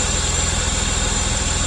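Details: VS Commodore wagon, engine due for a rebuild: steady even idle with a smooth low pulse and no misses, knocks or hiss; normal idle.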